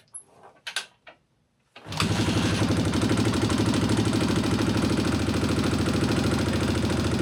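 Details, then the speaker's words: Honda XR650R kickstart big single after long-overdue valve adjustment: kicks to life, loping idle with light regular ticking over the thump; sounds better but not solved, forum says some clack is normal. "Still ticking, but it's hard to say if it sounds bad ticky. Or... It does sound a lot better."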